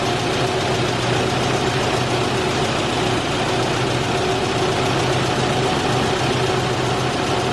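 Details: 1989 Isuzu Trooper after replacing the seized-shut idle air control valve (it previously couldn't idle cold): petrol engine now idles at a steady even speed with a smooth low hum, no stumbling.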